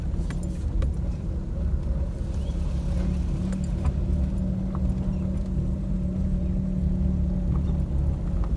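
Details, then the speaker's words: Maruti Suzuki Alto on rough dirt road after steering rack replacement: steady low cabin rumble, only faint rattles from door panels, no suspension knocks; previously knocked loudly when steering left and right. "तो देख सकते हैं गाड़ी में कोई भी आवाज नहीं है सिर्फ एक किचन आवाज कर रहा है और छोटे मोटे जो इसके डोर पैनल्स होते हैं उसमें से सिर्फ थोड़ी थोड़ी आवाज आ रही है बाकी सस्पेंशन वाइज कुछ भी इसमें नॉइस नहीं है"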